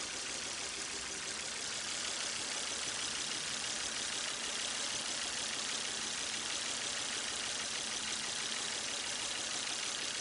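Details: 2005 Volvo S60 2.4 naturally aspirated petrol engine, which arrived with connecting-rod bearing knock, idles steadily with an even hiss-like whirr and no knocking after an additive and an hour at raised rpm.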